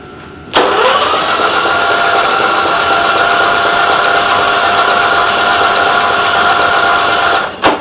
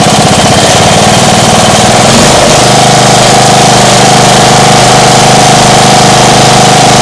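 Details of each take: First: Small engine cranked at half throttle with choke, starter not strong enough to overcome compression. Labouring whine that speeds up over about seven seconds after it spits out liquid. Spark plug found wet, owner thinks with gasoline. Suspected hydrolocked cylinder from fuel flooding. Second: Small engine going from a lumpy idle to full throttle; the owner suspects an exhaust leak. Rises to a steady, even, louder high drone and holds there smoothly. Normal full-throttle run.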